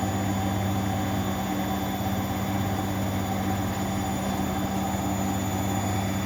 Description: bosch washer spinning properly @nairobirepair